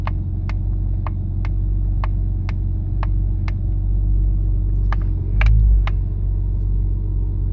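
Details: Nissan Skyline R33 GTS-T with HKB boss and OMP steering wheel: sharp light clicks roughly twice a second over low road rumble, a rattling click from the steering wheel and boss.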